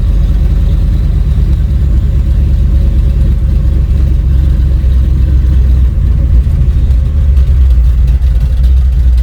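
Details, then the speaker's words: Chevy C20 with built 408 small block driven gently: heavy low roar surging and flaring as drive lets go between gears; free-revs first to second when hammered, transmission broken, supposedly built trans doubted. "I think trans is broke when you hammer it and you try to go one two three you go from first to second and it free revs so definitely broke"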